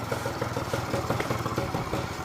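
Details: Honda Spree scooter after brake repair and new tire, just kick-started and smoking a little, exhaust possibly not fully cleared: steady, even putter at a quick idle with light clatter and no misses. Normal idle.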